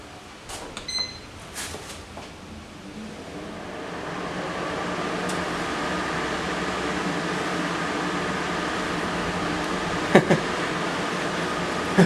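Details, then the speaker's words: Portable air conditioner used 3 years beside a deep fryer, test-run after a grease cleanup. After handling clicks, the fan on high gives a steady, even whoosh with no rattles or scraping. Compressor not yet running. "Fan's on high at the moment."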